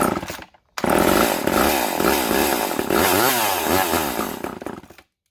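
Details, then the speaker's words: Vintage Poulan Super 25 (S25DAV) chainsaw after fuel line replacement: catches, surges and wavers in revs about four seconds, then cuts out dead despite priming and choking; not drawing fuel, carburetor to be removed and inspected. "I'm gonna take the carb off and look at it again, because yeah, it doesn't want to draw fuel."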